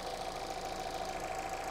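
Steady, even idle with a smooth low pulse and a constant mid hum, no stumbles or skips; engine running clean on all cylinders.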